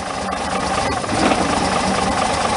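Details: Chevrolet Monza after a new AC oil filter and 3.5 quarts of oil added; it had run out of oil twice and clattered before. Now a steady, quiet, even idle with no clatter or knocking.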